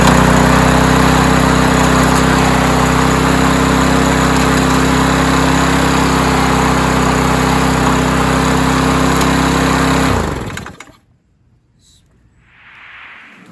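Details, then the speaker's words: Troy-Bilt TB230 self-propelled mower, roadside find, after quick valve job, fired on about one pull: steady fast high-pitched smooth drone, running faster than other mowers; governed RPM set too high, with an RPM tab behind the gas tank. "the only issue though is I think it's running a little bit too fast though compared to the other mowers that we started up li"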